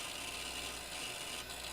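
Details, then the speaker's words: Internal IDE hard drive in a 25-year-old IBM Aptiva, writing back and forth as Windows searches for drivers after a USB drive is plugged in: quick scratchy seek chatter over a faint whir; normal operation. "that's not the drive I just plugged in that is the internal IDE searching for drivers and doing what Windows does best have to write stuff to the drive all the time back and forth"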